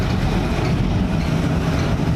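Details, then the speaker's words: NASCAR car on a reinstalled 23-year-old MSD 6T ignition with MSD Blaster coils, after signal wires were rerouted away from high-voltage leads: an uneven, stumbling idle chug that backfires and reads very lean; cause not confirmed. "I don't know what's going on. I gotta try and figure this out. That was backfiring now. Yeah, I screwed something up. You can hear it backfiring."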